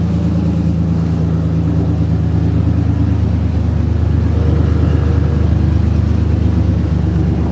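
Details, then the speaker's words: 4.3 V6 truck with exhaust system removed: loud, deep, steady rumble with raw unmuffled exhaust pulses; with exhaust on it ran quiet as a sewing machine; alternator belt noted too loose. "I mean, when this thing run with exhaust on it, you couldn't even hear it run. I mean, it sounded like a sewing machine."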